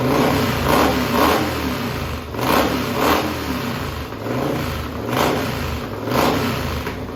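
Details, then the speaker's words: Heavily modified methanol-fuelled racing lawn mower engine, cold start aided by carburettor cleaner: loud open twin snapping up in quick blips about every second and dropping back cleanly, revving freely. Normal running. "ophone on because this thing's going to be really loud we going to go and start it up here real quick"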